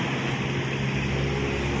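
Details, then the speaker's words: R180 engine after clutch repair with new lining and trimmed oversized plate, not yet tuned up: steady, even hum with no clutch rattle or chatter, now quiet; normal running. "Ito yung resulta mga kapawis. Tahimik na. Dito naman, gi-repair lang namin."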